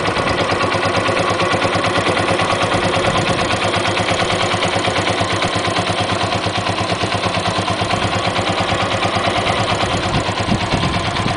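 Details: Yamaha XT125 with 1100 miles, idling: fast, even high-pitched clicking that seems to come from the top of the engine. It started recently and was absent when bought; cause unclear.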